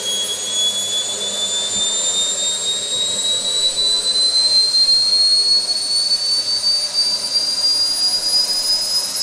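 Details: SWIWIN SW220B micro turbine on test stand, second run after adjustments: smooth steady high whistle rising gently, no surging, at almost 38,000 rpm idle with about 2.5-2.6 lb idle thrust; normal idle.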